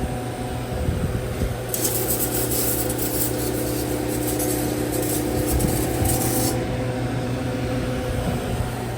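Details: Manitowoc motel ice machine after condenser coil cleaning and fan cycle switch jumpered: steady low compressor and fan hum with rushing water in the middle; running normally, makes a batch.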